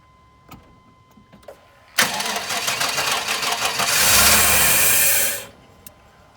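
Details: Chevy with distributor, crank no start after replacing fuel pump, filter, relay, cap, rotor, crank and cam sensors and battery; security light never came on: about three seconds of steady starter cranking, roughly four beats a second, no fire; security system fault.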